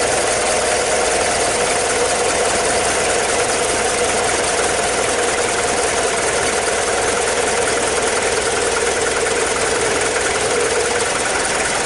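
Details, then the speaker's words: Mazda WLT diesel in a Ranger after VE injection pump swap, bled and timing eyeballed: steady, even diesel clatter at idle without misses or hunting; normal idle on first start. "that weren't bad, was it? For eyeballing the timing and just kind of give it a go."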